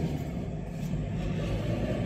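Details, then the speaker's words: 1.9 diesel idling after running an injector-cleaning fuel mixture: a steady, even low rumble with no knock, hunting or smoke, a normal idle. "y a pas de problème de de ralenti instable ou autre même de fumer pour le coup hein"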